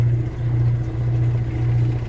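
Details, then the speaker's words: Kenmore 80 Series washer after broken motor coupler, motor swapped from matching machine, doing neutral drain: steady low even hum with water flowing, no cavitation or rattle; draining normally. "Oh, okay, it is doing a neutral drain. That can happen also. So what we'll do is we'll let that drain. Everything is draining copacetically over here."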